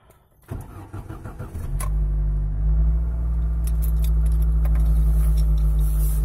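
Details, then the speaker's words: Lada Niva 21214M injector engine, around 63,000 km, after replacing the hydraulic timing chain tensioner to cure chain knock on start: starts within a second and settles to a smooth idle with no chain rattle. "после замена натяжителя звук пропал вот можно даже послушать когда машину заводишь тишина"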